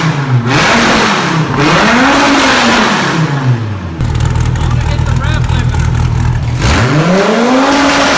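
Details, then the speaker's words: Wrecked 2014 Dodge Viper TA under rebuild, V10 with straight-pipe exhaust: sharp climbing revs hold and bounce off the limiter then drop back, crisp and even; healthy revving to rev limiter. "oh my gosh dude I bounced it off the rev limiter man I just wanted to hear it I don't know how it's gonna sound on camera because it's freaking so loud"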